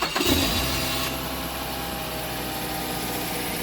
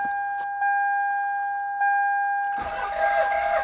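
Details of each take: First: 2006 Mazda 5 with a completely depleted battery, jump-started with a 4000 A jump starter in boost mode. There is a brief starter whirr, then the engine catches quickly and settles into a smooth, steady idle. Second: Toyota Celica, jump-started from a GOOLOO A5 4000A pack: steady rhythmic cranking for about five seconds, starter spins the engine evenly but it never fires; owner suspects a fault, possibly fuel, not confirmed.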